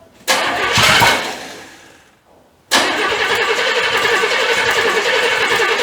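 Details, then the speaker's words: 1985 Chevy C30 after diesel-to-gas engine swap, first fire-up; cranks, catches, dies, then refires into an uneven, lumpy, stumbling run, sounding like it's hitting on about 3 cylinders; firing order suspected, not confirmed. "I ain't sure what's going on right here. Let me check the firing order. It sounds like it's hitting on about 3 cylinders."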